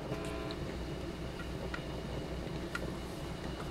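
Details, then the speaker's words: Kriesler Australasia 11-81 valve radio, heard through a signal tracer after cleaning the socket: light, irregular crunchy crackles and pops over steady hiss; valve breaking down internally or loose connection. "can you hear it kind of making crunchy noises that's real light at the moment see if we can make it act up a little bit something's breaking down in the tube or it's got a loose connection"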